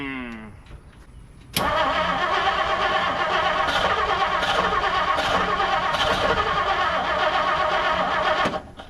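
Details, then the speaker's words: 1959 Plymouth Savoy with carburetor throttle linkage, new wiring and plug wires, timing guessed: starter cranks evenly about four beats a second for seven seconds after pumping gas, spark present, no catch; owner suspects points adjustment. "So let me just try to fire it and see what happens. wanted to fire. Give it some pumps. We're definitely getting spark."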